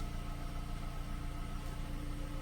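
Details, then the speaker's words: Electric parking brake with a blinking brake light and code C112A (EPB motor unit position), engine idling: after release, the actuator motor keeps whirring instead of stopping after 2–3 seconds, so it is running continuously. "I can hear that I can hear the activator is still running it should only take like 2 three second it keeps running"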